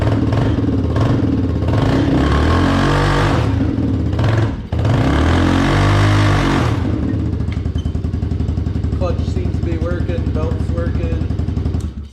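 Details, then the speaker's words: Can-Am DS90X after replacing the bad starter and the starter idler gear with broken teeth, plus a new CVT belt; engine blips up then settles into steady even idle, no grinding or clatter from clutch or belt; normal running after repair. "hopefully it starts it definitely sounds a lot better when you try and start it definitely a lot"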